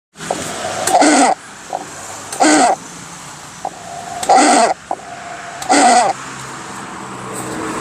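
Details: Hatari 16-inch fan with an iron motor housing: a steady whistle broken by loud squeals about every 1.5 seconds, because the oil in the sleeve bushing has dried; the fix is replacing the bushing, shaft and oil wick.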